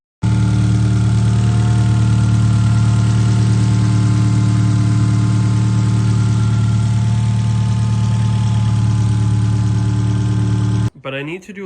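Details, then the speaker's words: 2013 Hyundai Genesis Coupe 2.0T, 5-speed manual, base model with upgraded intercooler, intake and blow-off valve, at steady idle: fast, light top-end ticking about three to four per second, not rod knock; owner suspects timing chain or cylinder head. "It doesn't sound like rod knock or bearing failure or something like that. It honestly sounds like either something going on with the timing chain or something going on with the head."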